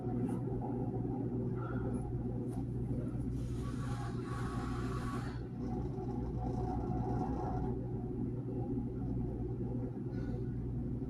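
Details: GE dishwasher during its wash cycle: a constant low rumble and hum with occasional water swishes on top; cause of the rumble not pinned down.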